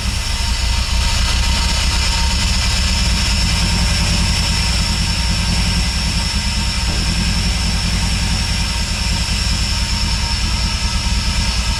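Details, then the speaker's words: Acura RSX idling with stock injectors reinstalled while tuned for larger RDX injectors: low, lumpy, uneven pulse that never settles; the computer adds fuel to compensate for the smaller injectors, so the mismatch causes a rough idle. "so you can kind of even hear that the computer was trying to like compensate by adding more fuel into the smaller injectors to try to keep it to where the car was tuned with the RDX ones"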